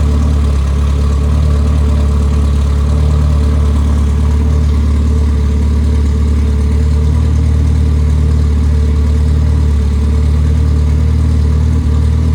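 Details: Rebuilt Triumph Spitfire 1500 four-cylinder (flat-top pistons, 270 cam, shaved head about 9.5:1, compression 190-205 psi, new tappets, rocker shaft and bearings): a steady, even low idle beat with no ticking, knocking or stumbles; runs well.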